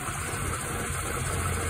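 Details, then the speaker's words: Mercedes C36 AMG idling: faint continuous whirr over smooth engine hum from one side of the belt drive; owner suspects tensioner, pulley or worn belt, and says the noise goes away once warmed up while driving. "all right guys another thing real quick to throw on the list so if you can hear that sound pulley or something is making noise so we're definitely have to figure that one out"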